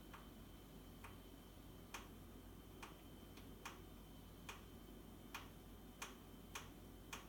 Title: Boxi boiler - knocking sound